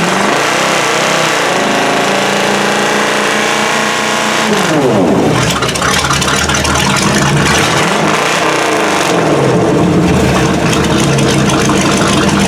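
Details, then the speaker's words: 1979 Chevy K20 after winter storage, carb choke not hooked up: uneven, lumpy high idle with revs rising and falling, dies off throttle; owner suspects missing choke or poor fuel flow through inline filter, unconfirmed. "it was running real choppy at first as soon as i let off the gas it would die but granted this is a manual choke i don't have a manual choke ran up to it so i guess that could have had something to do with it"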